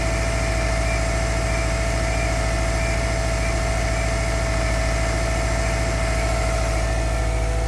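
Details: Subaru EJ25 cold start in early morning with the engine at -16 degrees: cold idle with a steady, evenly spaced low knocking, about three per second.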